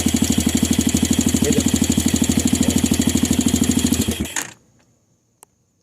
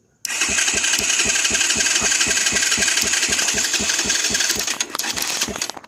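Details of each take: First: 200cc Chinese dirt bike (fake KTM) single-cylinder after the start button contacts were adjusted: even thumping idle about three beats a second, steady until switched off; healthy idle. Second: 200cc Chinese dirt bike (fake KTM), pins in key switch connector being tightened: rapid starter cranking about four beats a second without catching, cutting in and out when the black wire is flicked; loose, not fully seated key switch wire.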